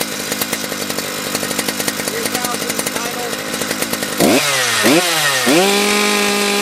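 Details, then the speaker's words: Husqvarna 3120XP chainsaw modded with unlimited 272-style two-prong coil and new flywheel; full throttle in cut, crisp two-stroke scream near 12,300 rpm on tach, clean blips revving up and down, pulling strong; normal. "what do you think the RPM was it uh at Full Throttle there would that sound like to you"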